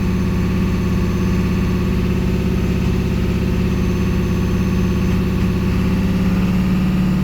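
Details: Ford 7.3L diesel with E4OD transmission and code P1748: a heavy idle with an uneven, lumpy beat, roughly three stumbles a second, misfiring even when the code is not present. Engine misfire.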